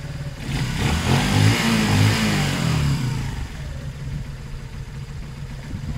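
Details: Zontes 125 after a fuel tank flush of rust, twigs and water, on half choke, warming up: small single revs smoothly and settles back without misses or pops, a steady rasp over a low thrum. Running well.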